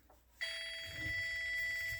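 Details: Whirlpool Duet dryer in test mode, owner's clothes still wet on automatic: single steady high beep under two seconds as a damp rag bridges the two conductivity bars; moisture sensor working properly.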